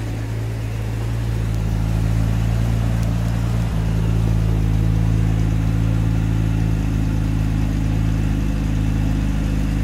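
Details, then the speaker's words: 1973 Jaguar Series 1 4.2, new electronic ignition replacing points, cold after sitting 3 weeks, choke on, ticking over about 1200 rpm: smooth, deep, even hum with no misfire or stumble; healthy fast idle on choke. "Bearing in mind she is ticking over about 1200 revs because the choker's on."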